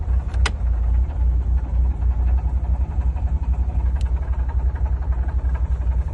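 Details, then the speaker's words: BMW E36 drift car: rough, uneven low idle rumble with loose rattly pulsing at about three or four per second; the owner suspects the dual-mass flywheel has failed, unconfirmed. "and uh yeah as you can see it doesn't sound too good video you can see that I think that the Dual mass is gone as well kind of noise that it's making"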